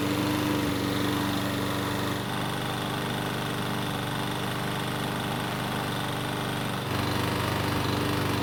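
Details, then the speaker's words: Troy-Bilt mower engine, revived after years stored on a shelf, running at steady speed just after starting right up: a faint, regular light knock under the drone from a worn connecting rod big end, i.e. rod knock. "so it started right up which is good but how is it going to start once the engine's hot so the good news is that the engine start starts reliably and runs well enough however you already know the bad news and that is it's got a little rod knock"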